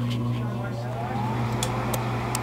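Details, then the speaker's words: American Standard gas furnace, door switch taped: inducer motor hum rising in tone as it spins up, then sharp clicks of the pressure switch closing and 24 volts applied; normal inducer start. "Listen for that click on that pressure switch. All right, there's the inducer."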